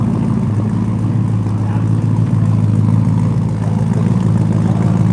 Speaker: she sounds great doesn't it look I'm just going to give you a little bit of gas